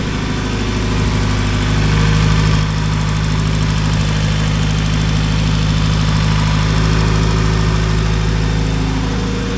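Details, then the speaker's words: Honda EP3 after fuel system work, started after priming and checking for fuel leaks: steady, even idle with a smooth low hum and a regular pulse of about four per second, no misses or knocks; not yet warmed up; normal idle. "right, everything looks pretty good. We're gonna keep an eye on it, let it warm up, and if it still looks good, I'll take it out for a drive."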